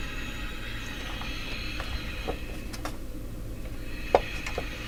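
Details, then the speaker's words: Northern Electric Model 8508 tube radio after tube and capacitor work: a steady low buzz with thin whining tones and crackles through the speaker. Caused by interference from a nearby light's power adapter; the noise clears when the light is switched off. "I left a certain light on. It's interfering. Okay, got rid of the. Yeah, I did leave a certain light on."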